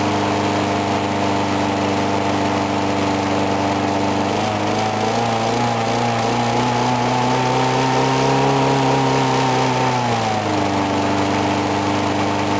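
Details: Briggs & Stratton mower engine cold-started at 35°F after long sitting, water suspected in the gas; started first pull. Even steady hum, picks up speed smoothly for a few seconds then settles back, no misses or stumbles; normal running.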